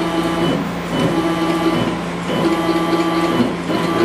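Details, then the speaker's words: CNC mini-mill after tuning, velocity 50 in/min, acceleration 5 in/min², jogged by short clicks: even jog moves with a clean steady whine and brief pauses, no grinding or stutter; axis traversing smoothly. "so basically I'm just clicking just a little little out of time here just to show you what I'm"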